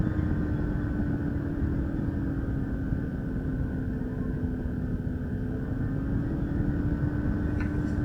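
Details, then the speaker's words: Retro mini PC cooling fan on a bench controller after the PWM frequency was raised. A smooth, even fan whoosh with a low steady hum; the earlier buzzing whine is gone. The fan is running normally and quietly. "vocês podem observar que ficou bem silencioso agora certo aquele zumbido que tinha ele simplesmente sumiu por causa do aumento de frequência do pwm"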